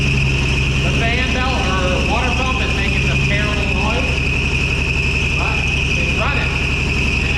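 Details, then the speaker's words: 1965 Ford F100 on its own fuel pump and carburetor, first start after 13 years stored in a basement, with oil pressure and the alternator charging: a piercing high squeal rides over a rough idle. Source not yet found. "it's got oil pressure the alternator is charging there's a horrible squealing noise but I'm going to look into that in a second see if I can"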